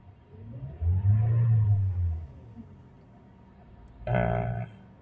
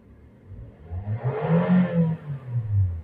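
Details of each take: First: Toyota/Daihatsu with 1NR engine, DTC P0172 system too rich bank 1: two throttle blips where the engine surges dully but won't climb in pitch, hesitating; mixture too rich. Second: Toyota/Daihatsu petrol car that had P0172 system-too-rich bank 1 and a surging, stumbling idle: after sensor cleaning or replacement and an ECU reset, with the AC on, quick throttle blips rise and fall cleanly with a crisp, even note, showing good combustion.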